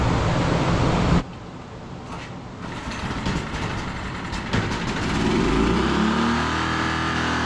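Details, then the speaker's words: Generator fitted with a new aftermarket carburetor, idle later adjusted down: steady run, short dip, then even note rising slightly; runs fine. "Alrighty. Well, as you can hear, it runs."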